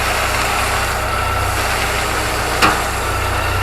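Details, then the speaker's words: Niva at steady petrol idle with a single sharp click as the steering wheel is turned right to full lock; owner suspects a guard or shield, or suspension parts such as a control arm, not confirmed. "давай давай скрутить так что то по моему как будто бы защита где-то щелкает защита рук еще вправо до конца"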